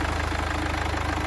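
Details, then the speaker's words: Crash-damaged Mercedes GLA 200d AMG Line, first start after a new battery and resetting the crash data: steady, even diesel idle with a regular low pulse and light clatter, no misses or knocks. Runs smooth and healthy. "Perfect. And sounds lovely. I'm made up."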